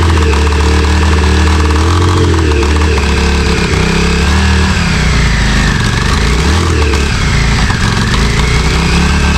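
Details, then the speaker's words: Yamaha Virago 535 V-twin, 34 years old and unrun since 2003, after carb cleaning: loud busy idle far too high with wandering pitch and uneven stumbles, misfiring; carbs or a dead spark suspected. "So, I've got it running. It took it around the block and it seems to be idling very high and it seems to be like misfiring as well."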